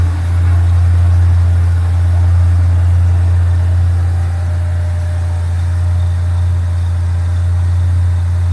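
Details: 1965 Chevrolet Impala convertible with new Chevrolet 350 crate V8 and Muncie 4-speed, cold start with choke set: deep steady idle firing evenly about 220 beats a minute, no knocks or misses; healthy.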